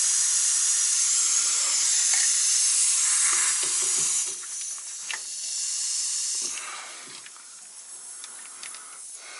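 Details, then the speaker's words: Loud, steady, high-pitched hiss that fades as pressure bleeds off. It is the second air leak on the vehicle's air system, at a quick-disconnect fitting on a main air line up in the front bumper. "I have found a second link this is up in the front end up in the bumper and it's another quick disconnect it's pretty much a mainline though this is gonna happen get pulled but you can hear it"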